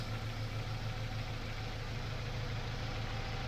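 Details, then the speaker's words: Ford Ka with over 200,000 km at idle, fuel pressure reading 2 bar instead of 3: uneven, lumpy pulse with a regular stumble; one cylinder dead, fault traced to the fourth cylinder. "a gente já sabe que o defeito é no quarto cilindro tá pessoal"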